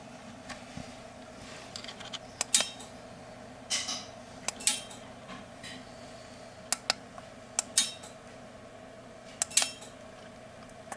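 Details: Pitch brakes after the fix, motor relays removed, engaged repeatedly by RF transmitter: about a dozen sharp metallic clicks in small clusters over eleven seconds with faint fan hum; brakes engage cleanly and simultaneously.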